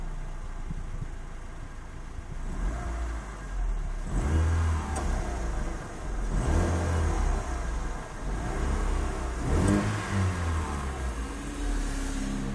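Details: 2005 Proton Savvy, 157,000 km, about 7 years old with two owners: the engine revs up and settles in waves with a low drone and a faint rising whir; a strange engine noise of unknown cause.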